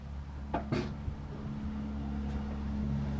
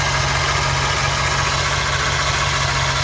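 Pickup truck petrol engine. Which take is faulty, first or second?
second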